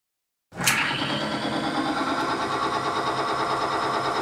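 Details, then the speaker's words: Timken bearing test with Modern Spartan Systems lubricant under 15 lb load: steady, even whirring hum with slightly different tone from added weight, no screeching, smoke or friction heat; loaded bearing runs smoothly. "you can hear a slightly different tone because of the added weight but there is still no screeching no smoke and no heat caused by friction"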